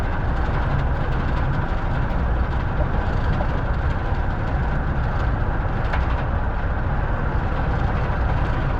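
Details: Ford F-250 6.7 diesel at idle: steady heavy clatter with a faint repeating engine knock buried in it; cause unknown.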